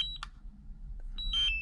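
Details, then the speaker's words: DJI Mavic Air remote controller that will not charge: two short high-pitched beep bursts about a second apart, its low-battery warning as it is run down; the fix was replacing the controller battery. "it used to beep like the low battery beep i used to let it beep for half an hour and keep going until it's almost out of juice"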